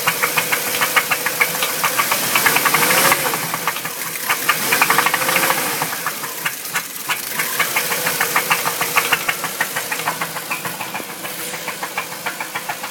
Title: bruit moteur v8 4litres